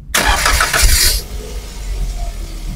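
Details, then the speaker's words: 2018 Daihatsu Gran Max 1.5 pickup, oil and power steering checked OK: brief cranking catches quickly and settles into a steady, even idle with no stumbling; the warning lights go out, so no electrical problem and a clean, healthy start. "Ketika kita nyalakan mesinnya, itu indikator semuanya mati, berarti tidak ada masalah dengan kelistrikan."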